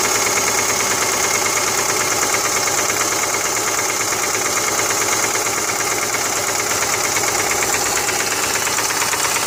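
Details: 2005 Subaru Forester petrol engine at idle: a steady light knock, about three beats a second, over a bright, hissy running sound; the cause is still being troubleshot.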